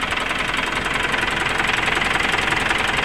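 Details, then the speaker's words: 2010 Mitsubishi Pajero Exceed common-rail diesel after repair of a sudden no-start: now starts easily; steady, even diesel clatter at idle, about two and a half knocks a second, no misses or hunting, no air entering the fuel line; healthy idle. "untuk mesidnya sudah hidup Ya sudah hidupnya juga sudah gampang teman-teman kondisi mesinnya seperti ini ya"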